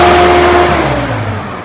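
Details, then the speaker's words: Auction diesel tractor after new clutch, exhaust pipe refitted, running again: smooth even note settling as revs drop, makes a bit of noise but no knocking; sounds healthy. "Oh. So he makes a bit of noise. Makes a bit of noise."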